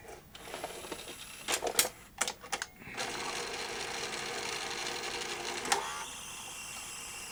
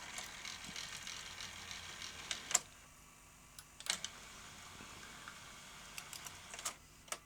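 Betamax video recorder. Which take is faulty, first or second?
first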